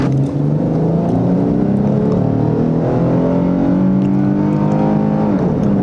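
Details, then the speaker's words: 2008 Chrysler 300 2.7L V6 after misfire repair, near operating temperature, full-throttle test drive: engine pulls cleanly, pitch climbing smoothly through each gear with no stumble or popping, 0–40 in about 14 seconds, check engine light off; healthy acceleration. "Oh yeah. 2.7 liters of fury. That's a 0 to 40 in about 14 seconds."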